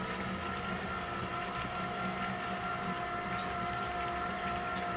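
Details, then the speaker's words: Headhunter X-Caliber water pump after repair using donor pump parts, run on 12 V bench supply with body flooded; even electric motor hum with light rapid pulsing, quiet and pumping; normal pump running. "Okay, it's running. And it's quiet. And it's pumping."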